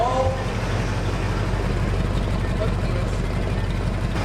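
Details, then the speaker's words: Flood-damaged 1978 Ford F-150 V8 after a caught rag was cleared, now idling where it should: deep, even burble at a steady idle with no hunting or sputter; normal idle. "It's finally! That sounds pretty damn good finally."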